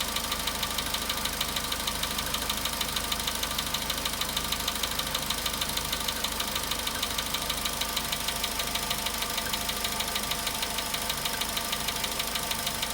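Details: VW Polo Sedan at 93,000 km, cold start idle: sharp, regular metallic ticking knock about two per second over steady idle; owner calls the knock very strange, cause not yet known.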